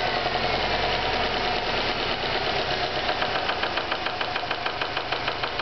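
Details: Stock 2009 Subaru WRX, 2.5 weeks old with 1,251 miles: steady, rapid, deep bottom-end knocking over idle that follows engine speed. Spun rod bearing from a manufacturing defect, repaired under warranty.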